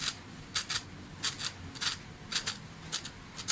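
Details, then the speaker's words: Toyota Corolla small body speedometer gauge, cable turned gently by hand on the bench: irregular dry scratchy bursts, a few each second, something catching inside the speedometer head; noise began recently, needle reportedly also erratic; cause unconfirmed, before repair. "Yan, sana narinig yung mga sir yung ingay. Mahina lang yung pihit ko sa kable mga sir, pero maingay na yung"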